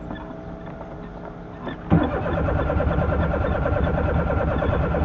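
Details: Carbureted 2003 Suzuki Alto/Mehran, hard start: long steady starter cranking with no clean catch; it takes some cranks to fire, stalls several times, and is revved hard to clear.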